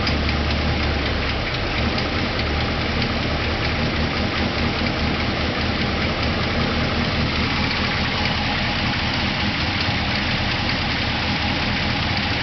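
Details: New LS3-based 416 stroker V8 short block, YT 1.7 rocker arms previously breaking: fast light ticking two to three per second, only with throttle applied, heard while driving; valve cover off showed no broken rockers, owner suspects bad lifter.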